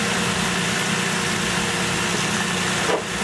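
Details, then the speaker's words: Idle after work underneath: even, steady idle hum with a low drone and no ticking, puffing or rasp; healthy idle, no exhaust leak. "yeah it's running and I'm not hearing anything major coming out of it"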